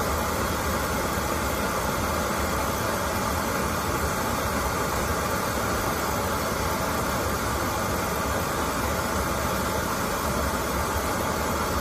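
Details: Oil-fired boiler that would not light because clogged filters restricted the oil, after all filters were replaced: a steady, even burner roar with no sputtering, surging or dropouts, indicating a held flame and normal firing.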